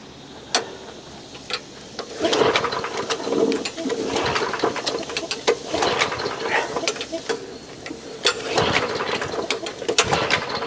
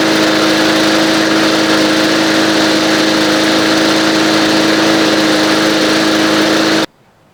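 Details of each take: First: Old push lawn mower, primed and fueled after earlier work: repeated recoil pulls whir and rasp but the engine never fires; the carburetor was later removed and cleaned. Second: Old green push mower, nearly out of gas, after its carburetor was removed, cleaned and reassembled; smooth steady buzzing drone at even speed without surging or sputtering until it shuts off; runs normally.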